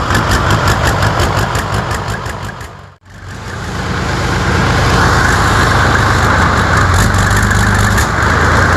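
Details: New diesel engine for a T62 tank, first test run: heavy low diesel rumble cuts out, then fires back up and settles into steady, even running; healthy start and running.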